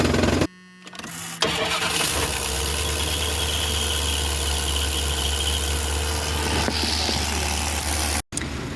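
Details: Classic camper van, under 100k miles, a mechanic called it a smoke show; owner's own repair, idling in gear: catches and holds a smooth even idle, no stumbling or rattles; running normally after the fix.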